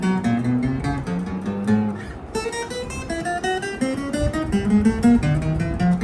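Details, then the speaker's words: Hagstrom acoustic guitar with a low nut on the first string, played with a cardboard shim under that string: strummed and picked notes ring clear with no buzz, though it plays harder; buzzing returns without the shim. "all here is clear already but of [Music] course it's a bit harder to [Music] play"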